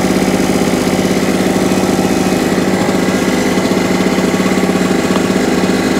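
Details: Salvaged small two-stroke generator, after new NGK spark plug and carburetor clean: even, fast, steady beat under its own power, no surging or hunting; normal running.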